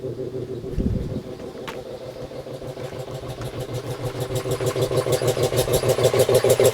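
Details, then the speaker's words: Home-built air compressor, 125 psi max tank, used for a year; regular pumping thumps about three per second growing firmer as the tank fills; running strong and healthy. "i've used this compressor quite a bit throughout the last year it works really well"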